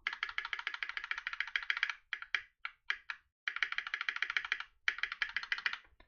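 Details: Keyboard with clipped and lubed MX-style stabilizers, inverted spacebar, and dampened plate/PCB: quick run of crisp, even key clacks with no tinny spacebar rattle; stabilizers sound damped.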